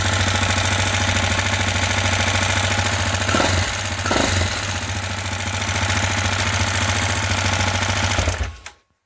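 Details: TT 250 motorcycle with a 166FMM engine, rebuilt after hitting a stump: steady fast running with a harsh, uneven ticking knock, roughly three per second, until shutdown; knocking again.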